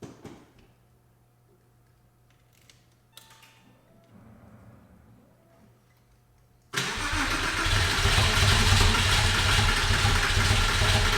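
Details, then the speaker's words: 2001 Porsche 911 Carrera 4 (996) after engine-out timing chain guide replacement, first start once reinstalled: engine catches and settles into a steady, even idle with no knocks or rattles; normal idle. "sounds good hopefully uh hopefully it stays that way i'm going to let it warm up watch for any fluids dripping underneath"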